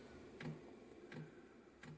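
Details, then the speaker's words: Diesel heater, previously run on kerosene, first start attempt on homemade biodiesel with kerosene still in the line between pump and inlet: sharp, even dosing-pump ticks about every 0.7 seconds as it starts up, which is normal. "so we'll concentrate on this and we'll see if the thing wants to fire up so where are we right the pump's kicking in"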